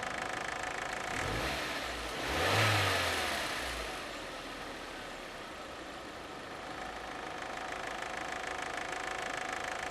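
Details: 2001.5 VW Passat 1.8T automatic, 98,500 miles: a quick rev settles back to idle with a light, even rattle throughout; a failing cam chain tensioner, later fixed by replacing the chain and tensioner.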